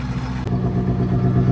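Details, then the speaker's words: FV432 APC K60 4.3 diesel idling: steady, even low beat with no rattle; running transformed to a normal, healthy idle, though some smoke remains. "Yeah, that is sounding totally different now. That's sounding like a proper 4.3, like a K60, not like a rattly load of junk."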